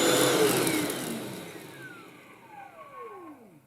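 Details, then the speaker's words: Vax Blade 24 V cordless vacuum after its motor bearings were lubricated to cure a screech that was worst on slowdown: the motor winds down with a faint, falling whine, seemingly better than before, but a little noise remains as it slows. "and I don't know whether it's any better or not. It still makes a little bit of a noise as it's slowing down,"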